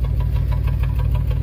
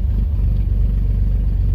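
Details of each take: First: 1994 GMC Jimmy 4x4, 4.3 V6 CPI, 191,000 miles, sat six years, true dual exhaust, after the vacuum leak was fixed: lumpy idle with uneven chuffing and dropouts, misfire on the passenger-side bank. Owner suspects a bad, loose or chewed plug wire; unconfirmed. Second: 1994 GMC Jimmy 4.3 V6 CPI, 191,000 miles, first start after new idle air control valve, TPS, MAP sensor, EGR valve, coil, wires and spider: deep, steady rumble with no knocks, misses or surges; idling up smoothly and evenly.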